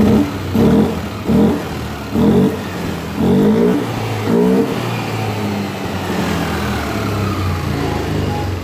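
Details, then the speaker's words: Yamaha Aerox 155 after cleaning a dirty ISC, which caused hesitation on initial throttle and a top speed of 80 km/h: quick clean throttle blips rise and fall back to steady idle without stumbling; normal throttle response. "Oke bosku, untuk motor ini sudah normal bosku ya. Kerusakannya di ISC yang tadi."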